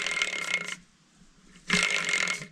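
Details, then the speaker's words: Kirovets K700A tractor bearing, seemingly loose and moving in its housing, turned by hand. Dry, raspy grinding in two bursts with a faint ringing edge; rough bearing that shouldn't make that noise. "something something is definitely off shouldn't make that noise"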